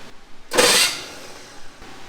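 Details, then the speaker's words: 1970 GMC 2WD longbed truck, off the road 20 years, first cranking: a harsh half-second starter grind that drops away because the starter mounting bolts are loose; owner will check the ring gear. "sure enough that starter sounds terrible so right there you can see the starter solenoid watch when i hit that starter solenoid the bolts are pretty loose"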